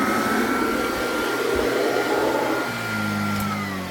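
Steady high motor whine with a smooth, even brush roll hum underneath and no slapping or squeal; a healthy belt-driven brush roll.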